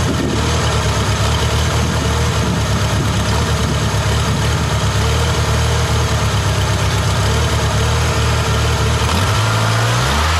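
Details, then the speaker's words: Ford 2.3L SOHC twin-spark engine just after coil pack mod (coil packs swapped so exhaust-side plugs fire differently): first start, loud low idle with uneven lumpy beat and short rev; rough, funky idle, exhaust pulses noticeably stronger. "it sounded a little rough on startup it was idling a little funky but it definitely so the exhaust bosses are definitely a lot stronger so"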